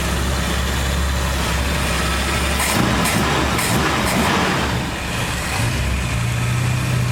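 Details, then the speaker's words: 1982 Ford Cortina TE Mk4 80, carburetor engine, after filter and clean oil change: steady even low idle with soft smooth beat, no knocks or rattles; quiet, healthy, unsure whether engine was modified. "it starts quite easily pretty quiet i don't know whether it's been worked up or not"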